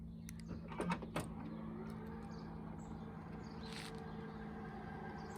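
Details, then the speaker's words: A couple of latch clicks, then a quiet steady motor hum as the power liftgate of a 2013 BMW X5 E70 opens via the factory remote. By design the remote can open but not close it, so a relay override is planned; normal operation. "You can open the trunk with the remote, but you can't close it."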